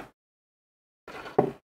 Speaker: it's auto closed so let's try again